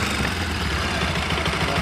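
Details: Bajaj Pulsar NS 200 after timing chain and tensioner replacement and timing setting: steady idle with a light, even patter about seven times a second and no chain rattle; idles smoothly and healthily.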